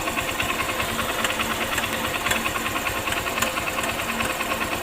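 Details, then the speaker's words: Honda Shine single-cylinder idling with new timing chain fitted: uneven light metallic tick-tick chatter, sometimes loud, sometimes absent; timing chain rattle because the tensioner is not working to take up slack. "यह जो आवाज दोस्तों यह timing चैन का आवाज है और मैंने हारी अलार्म उसका टाइमिंग चैन है डाला है तो फिर भी यह आवाज़ क्यों कर रहा है भेजो आवाज कर रहा है यह टेंशन में की वजह से इसका टेंशन हर काम नहीं कर रहा है"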